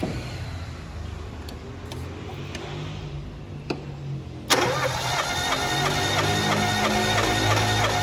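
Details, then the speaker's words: Fiat Palio during cylinder compression test, injectors disconnected, throttle floored, cranking: sharp scrape then steady churn about three beats per second; starter motor grinding, needs servicing; cylinder one read 140 psi. "barulho aí esse aí é motor de arranque hein essa raspada que deu é motor de arranque"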